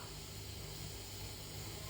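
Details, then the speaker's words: Fender electric guitar through an amp: steady low hum and hiss with intermittent static and cutting out, because the output jack's metal contact isn't touching the cable tip; a bad contact at the guitar's output jack. "whenever I go to play I get this signal sometimes it happens sometimes it doesn't"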